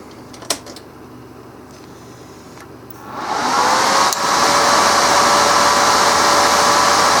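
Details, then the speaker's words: Resanta 190K inverter welder after replacing two shorted series zener diodes in the transformerless standby supply; click, then fan spins up into a smooth, steady whoosh without wobble, LEDs stable: normal fan operation. "Ну и теперь все работает стабильно. И по звуку вентилятора слышно, и по светодиодам."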